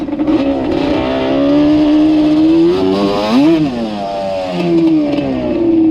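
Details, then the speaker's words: Yamaha Banshee two-stroke ATV with Alpha Cup 350 kit after curing its bog, warm, no choke; clean crisp revs climbing and dropping quickly with no hesitation, healthy sharp throttle response. "Sorry, Cody, I'll clean it up. Yeah, man, this thing's a ripper."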